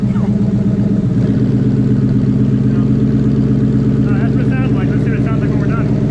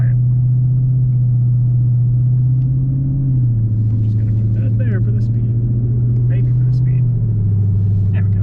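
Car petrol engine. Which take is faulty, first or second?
first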